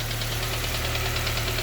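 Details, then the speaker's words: K-swapped Honda Civic EP2 after IACV delete: even idle with a light, quick, regular top-end tap keeping time with the engine; no leaks found, noise seems to come from the back of the head, cause unconfirmed. "no leaks from anywhere there heater hoses are all fine no leaks still got that annoying tapping sound"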